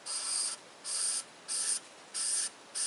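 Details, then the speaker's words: Ford 201 diesel cylinder head from a 550 TLB, valve lapped after three rounds of compound. Soft, faint hissing strokes about every two-thirds of a second with no grit, as the compound has worn off. The seat is smooth and finished. "can barely hear that turning, okay, because the compound that was on there has broken down, wore off, and I do it 3 times until I get to this stage, until I get to this light stage. But you can hardly hear it. It feels very smooth as it's turning in there, okay?"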